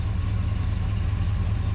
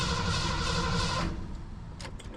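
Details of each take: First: 1980 Ford Bronco after 8 years sitting, new fuel tank, no tuning done, cold outside: quick, smooth idle with steady rumble and no misses or knocks; fast idle put down to the cold. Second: 1980 Ford Bronco, sat 8 years, new 33-gallon fuel tank and sending unit, rigged fuel line: starter cranks steadily, pauses with clicks, cranks again while fuel is still filling the line.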